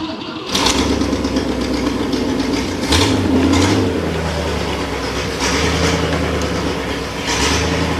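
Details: 1960 Cadillac V8 returning to running after new muffler fitted: short crank, then it catches and settles into a steady, even idle with a few throttle blips, no knocks; normal start and idle.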